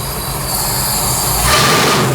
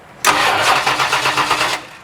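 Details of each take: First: 1972 Mustang Mach 1 V8 after MSD Atomic fuel injection install, once all injectors were getting fuel: deep strong V8 climbs and holds on throttle with an even steady beat, sounds healthy; normal running. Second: 1972 Mustang Mach 1 after MSD Atomic fuel injection install: starter spins briskly with even chugging but never fires; fuel only just starting to reach injectors, being primed by key cycling.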